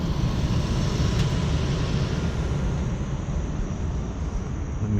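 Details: Rooftop HVAC unit blower after replacing a loose, nearly broken blower motor belt: steady, even low rumble with no squeal or slap after a brief start squeal; belt-driven blower running smoothly and healthy.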